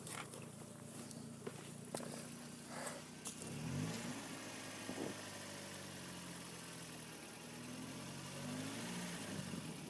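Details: 2000 Mitsubishi Lancer, 1.8 4G93 GDI petrol, 150,000+ km, warm at operating temperature, idling and blipping with a light quick ticking over the engine note: hydraulic lifters knocking, before adding Suprotec additive.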